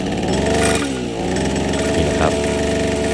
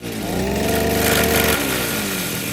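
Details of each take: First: Brush cutter after fixing gear-head vibration by reseating the misaligned blade under its cover and tightening the nut: steady high-revving two-stroke buzz with even pitch, no wobble or rattle, vibration gone and running normally. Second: Brush cutter revved to a high buzzing pitch, held, then dropping back with a rough edge; gear head vibrates because the blade isn't seated in its lock. Fix: stop engine, lock blade via side hole, remove nut and cover, reseat blade.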